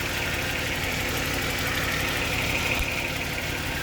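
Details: Jaguar XJ40 XJ6 4.0 Sovereign, gearbox not shifting past second: uneven idle with a loose, stumbling beat about three a second and a hollow miss, one cylinder misfiring, oil-water mix from rain found there; cause suspected, not confirmed.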